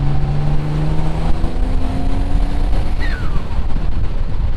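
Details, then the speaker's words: Twin-turbo 3000GT VR4 (6G72, 15G turbos) with new wastegate actuators under a hard pull: the note turns rough at the top. Boost hit 20–23 psi against a setting of 15 psi, so the breakup is blamed on overboost. "I was up at like 23 so that's why it's breaking up"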